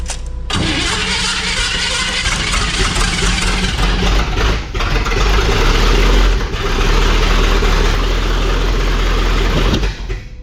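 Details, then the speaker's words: Chevy engine started after the distributor was refitted with the old cap and the plug wires possibly needing to move around: cranks, catches roughly and stumbles unevenly without settling; ignition timing off. "sounds like we need to time it"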